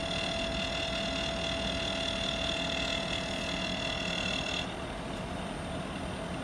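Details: Air conditioner outdoor unit: steady high-pitched whine and hum over the fan, upper tones cutting out after a few seconds. Abnormal noise, cause unclear.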